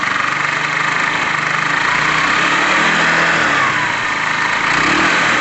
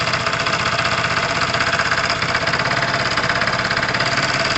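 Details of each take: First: Tamoretti Retro scooter/moped, after rear tyre work and air-fuel screw adjustment, earlier struggling slightly with fuel: small engine buzzing at a steady, even idle, smooth gentle rises in pitch when blipped, no misses; running properly, seems spot on. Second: Tamoretti Retro scooter/moped, warming up at idle: fast, even tapping rattle over a steady single-cylinder idle from down low; owner thinks it is not inside the engine, something loose-ish, possibly the rollers on that side, unconfirmed and not worrying.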